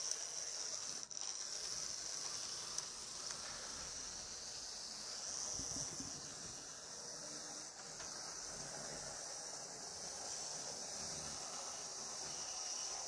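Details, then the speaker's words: Second-hand Lima Class 73 model locomotive 73108, before oiling. A steady, high, faint whirr from the motor and gears with slight unevenness. It runs okay to a degree, but the pickups and wheels need cleaning. "from what I can see over seems to be running okay to a degree it just needs yeah it just needs the the wheels need to clean"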